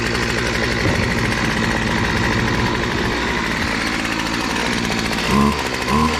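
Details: BC 2500 LE two-stroke weed eater from a garage sale, started after a loose head (lost compression) and a kinked primer line were fixed: steady, even buzzing rattle with no stumbling or dying; running normally.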